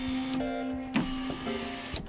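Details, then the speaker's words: Car power window after repair of the switch button, contacts cleaned with a screwdriver, ignition on: clean steady motor hum opening and closing, crisp switch clicks, no grinding; window motor works normally. "Все чудненько. Итак, собираем кнопочку обратно. Проверяем еще раз. Все работает."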